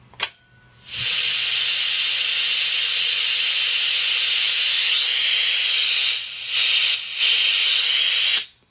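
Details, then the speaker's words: Mayfair FT-102A rim-drive tape recorder amplifier during restoration, old RCA transistor fitted: loud steady high hiss for about seven seconds; that transistor is super noisy and needs replacing with a quieter one. "that is ridiculous although it's amplifying the noise is just insane it's ridiculous"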